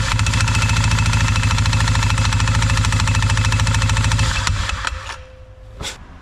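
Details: 2021 CFMOTO 520S quad that was stuck in drive; belt drive reassembled but not yet tensioned. A steady clatter of about three knocks a second, then shutoff. The worn centrifugal clutch is very noisy and needs replacing.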